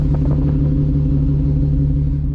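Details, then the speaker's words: 2020 Jeep Gladiator broken down at night, idling: deep, lumpy idle with a steady stumble, a cam-like lope from a cylinder misfire, not yet diagnosed. "it actually sounds pretty good i'm not gonna lie but something's not too happy in there"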